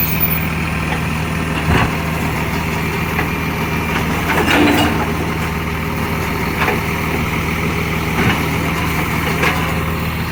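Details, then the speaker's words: Recycling truck, heavy diesel idling: rough ticking puff in time with the firing plus bursts of louder working noise; exhaust leak. "exhaust leak. Oh, it sounds beautiful."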